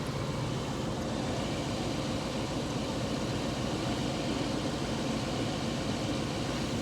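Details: 1998 Ford E-350 Econoline 5.4 V8 after fixing no-start, fuel delivery, MAF and fuel trim problems: smooth, even low drone, no knocks, misses or surging; normal idle.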